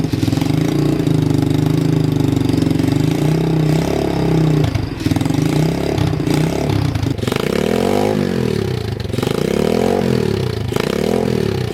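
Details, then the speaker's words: Motorbike-engined off-road buggy, SYM engine of unknown size (owner assumes 125 or 250cc), after oil change, temporary fuel tank: cold engine holds steady choked idle, takes several quick clean revs and returns evenly; carburettor well adjusted. "well she's scking over nicely rev nicely so the carobs actually pretty tuned well so that's good you just had to hav't choke for a while so it's perfect"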